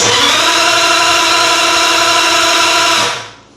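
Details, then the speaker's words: 1950 Ford flathead V8 with DIY EFI, after moving the ECU jumper wire to the correct post: three seconds of steady cranking with no firing; still no crank signal reading, cranks but won't start. "And we don't. Okay. All right. Well, I definitely had that uh jumper wire on the wrong port or sorry, wrong post on the ECU, but I'm still not getting a crank s signal reading."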